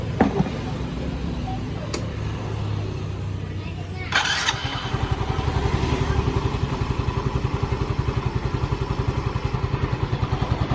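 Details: Soul GT 125 scooter that stalled and sputtered in rain, after fixing a full air filter box and sealing a leak with pipe glue: starter whirs, engine catches into a fast, even putter, steady healthy idle.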